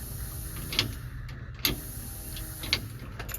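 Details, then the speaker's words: 1975 Ford F-100, newly wired fuel pump fed 12 V with key on: key cycled, short clicks over a faint steady electric hum as the fuel pump primes normally. "And we should hear the fuel pump kick on. So, we're in the truck. Let's listen. I can hear it."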